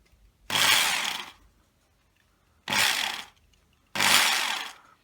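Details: Kango 426 110 V SDS hammer drill after replacing a worn 629zz bearing and reattaching a loose fan rotor that had let the armature overheat: three short bursts of high, even motor whir with no grinding or rattle; runs normally.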